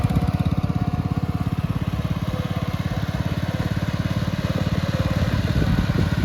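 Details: 1962 Bolens Ride-a-matic garden tractor, repaired and taken outside for a test drive: small single-cylinder engine thumps along evenly at a steady pace with no misses or knocks, running very well at different rev levels.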